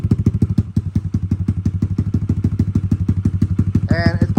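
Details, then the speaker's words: Kawasaki KLX140 stock carb with Big Gun exhaust and airbox mod, just started cold: slow thumping single, about three beats a second, slightly uneven pulses, chugging a little; suspected slightly rich, not confirmed. "probably chugging a little bit like that by a little bit it's gonna be a little rich throttle responses there"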